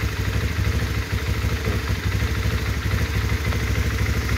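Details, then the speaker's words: 2005 Honda CBR, over 13 years old, engine said never opened: single-cylinder idle thumping at a steady low beat, even and free of ticks or rattles, no strange noises. "Kita cek suara mesinnya teman-teman, ini halus banget, suara mesinnya itu masih halus banget ya, nggak ada suara aneh-aneh, dan benar-benar ini masih segel teman-teman."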